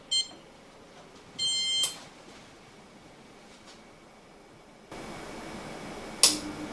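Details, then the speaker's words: Oven set to fan oven: two control-panel beeps, then two relay clicks on the circuit board, one for the fan motor and one higher-amperage relay sending 240 V to the element; normal switching. "relay clicking two relays clicked one for the fan motor and the other relay was the larger ampage relay on the circuit board"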